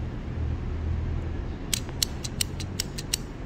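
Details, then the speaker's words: Relay from the HV battery pack of a flood-damaged 2017 Hyundai Ioniq hybrid, with low voltage applied: sharp, clean clicks, about seven in 1.5 seconds, over a faint hum. Relay activates and works despite flooding. "pretty sure you can hear the noise right that means it's working which is good but still flooded"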